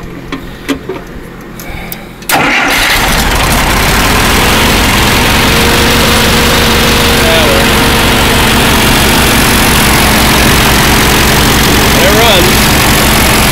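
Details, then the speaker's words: Allis-Chalmers 170 tractor, warm, carburetor rebuilt, new plugs, wires and coil, sat two years. Cranks, catches, settles to steady loud idle with slight waver, then runs out of gas; owner suspects fuel flow problem. "and we're to gas again so we've got a flow problem"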